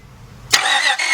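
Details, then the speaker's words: 2000 Honda Odyssey 3.5 that cranks but won't start: fast, even starter whir with no rhythmic compression pulses, spinning freely; lack of compression suspected, with the timing belt possibly broken, not confirmed. "listen to the engine noise listen to the way that engine is sounded I don't really hear no compression"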